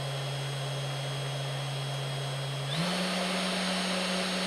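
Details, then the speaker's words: 3018 CNC with upgraded 400 W spindle, stepped up from about 1000 to 2500, 5000 and 10,000 rpm: smooth, steady hum that rises cleanly in pitch with no rumble or rattle. Normal running; quieter than the old spindle. "okay I'm not sure you can hear it but it's like start to get a bit louder 2500 well you can hear it now I think 5000 10,000"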